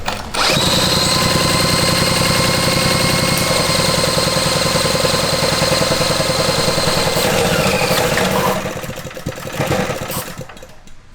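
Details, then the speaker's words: Rebuilt $50 mini bike with a single-cylinder engine, 236cc rotating assembly kit, 28mm flat slide carb and a new racing spark plug, on first start. It runs at a steady, even buzz with no knocking over the exhaust, then shuts off. Healthy engine. "Zombie action. It sounds good. Not even knocking, dude."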